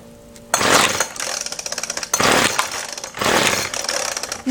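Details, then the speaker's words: Weedeater Featherlite FL25 trimmer engine, being revived for a hit-and-miss engine project: at half choke it fires in short raspy high-revving bursts of about a second, then dies and won't keep running; owner suspects fuel isn't getting through despite pumping the primer bulb. "I heard it far tons to half choked and then it dies and usually if I crank it a little more and that's all I'm going to get out of it so obviously fuel is not getting somewhere"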